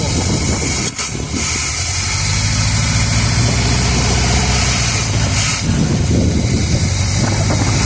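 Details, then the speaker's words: 1978 Chevrolet Custom Deluxe V8 truck sat 21 years, just started, run briefly with no coolant: low, even, steady rumble with no knocking or ticking; normal smooth quiet idle, though accelerator pump seal leaks fuel. "There it is. Oh, she sounds good. Quiet. Can't run it long. I don't have any coolant in it."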